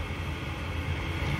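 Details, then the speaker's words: Goodman gas furnace that had a 3-blink pressure switch error, after clearing a clogged inducer port: inducer motor hums steady and even with no surging or rattle, running normally, and the board shows a solid light with no error code. "Our small motor is going to turn on, but we'll see if we get our error code."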